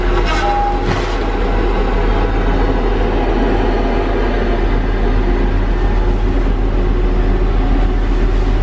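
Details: Tigercat LX830D track cutter working on rain-wet ground: steady deep machine rumble with even track noise and no squeal. On dry ground the tracks squeaked badly, but the wet ground has stopped the squeaking.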